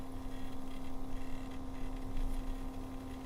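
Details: Cooler Master MasterLiquid ML240L RGB liquid cooler pump: steady low hum with a fixed tone and faint rough rattle; abnormal noise, cause unknown.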